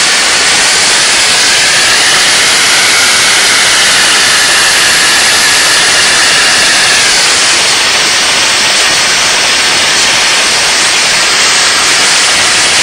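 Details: DIY gas jet turbine go-kart built around a turbocharger, diesel-fuelled afterburner, idle about 22000 rpm: loud steady even roar with high hiss, no piston throb; healthy normal running.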